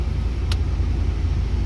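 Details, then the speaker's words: Proton Waja MMC automatic after replacing a wrong copy stepper motor with genuine Evo9 unit and reset; power steering pressure switch unplugged; A/C fan speed one on: low, steady idle holding even, stable 60 steps, around 800 rpm. "Ha cantik ah. Stabil 60 step ke atas lepas tu dia akan pergi 8 set plus minus."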